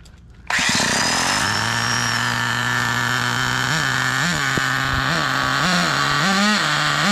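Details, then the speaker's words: Turbocharged nitro RC car on its first run, transmission suspected burnt out and not shifting: high buzzing engine sags and recovers every second or so instead of revving cleanly; bogging, suspected too rich. "that sounded a little boggy if I'm not mistaken so let's take a little more fuel out of it at least"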